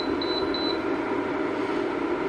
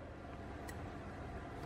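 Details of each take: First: Electrolux single induction hob brought in for cracked glass and a fault, powered up on the bench. A few quick high beeps, then a steady, even mid-pitched hum with no crackle. It detects the pot, draws about 8 A and operates normally. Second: Electrolux single induction hob with cracked glass: after pressing the function button, sharp relay-like clicks about once a second with beeps over a low hum; it never detects the pot and doesn't heat.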